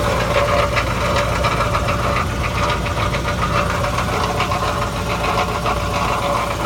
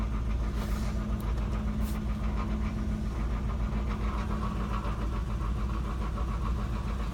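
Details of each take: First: 1991 Cadillac Eldorado with 80k miles at idle, engine running smooth: loose, jingling metallic rattle from the catalytic converter, like marbles inside. The cause is not confirmed. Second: 1991 Cadillac Eldorado, 80k miles, long sitting, needing a tune-up, with chunks missing from the belt and a falling-apart catalytic converter: a low, steady V8 idle with an even beat, no misses or knocks. Engine runs pretty smooth; normal idle.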